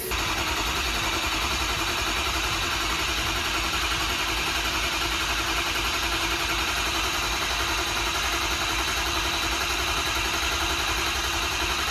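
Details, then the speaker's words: Ford Excursion diesel after head stud job, cold, only about 3 feet of exhaust fitted so not revved hard: loud steady clatter at even idle, no misses or knocks; normal idle. "Everything seems okay. I'm just worried about hitting it hard because I got 3 feet of exhaust on here."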